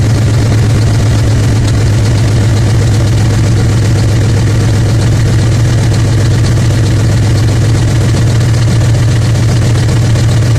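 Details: 2000 Ford F-150 5.4 V8 4x4 at 115,000 km with the check-engine light on. Deep, steady idle with a faint uneven beat from a dead cylinder.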